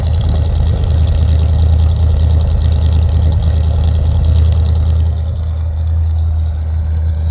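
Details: 1965 Chevrolet Impala convertible with new Chevrolet 350 crate V8 and Muncie 4-speed, cold start with choke set: deep steady rumble at fast choke idle, even beat, no knocks or misses; healthy.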